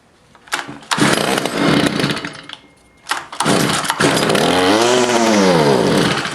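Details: Stihl FS55 trimmer just after a carburetor, fuel line, fuel filter and air filter replacement (it previously would not prime): small two-stroke cranks, catches and settles into a buzzy idle with a brief rev sweep, before idle adjustment; normal idle.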